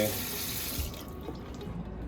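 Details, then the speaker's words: Water pump newly replaced after a suspect pressure switch and leaking pump housing left no water: strong, even rush from the tap, no sputtering or air, good pressure, no leaks, pump quiet. "pump is in i'm getting great pressure no leaks it's nice and quiet uh just loud enough where i can hear it when it's running which is what i like"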